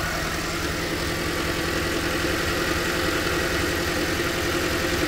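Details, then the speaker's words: 2010 Toyota Corolla with shaking idle: uneven, lumpy idle with about three or four stumbles a second; after swapping spark plugs between cylinders 2 and 4 the misfire moved to cylinder 4, confirming a faulty spark plug. "ahí está ahí está el Miss fire ahora en el cu Entonces pues no definitivamente esa bujía no sirve muchachos"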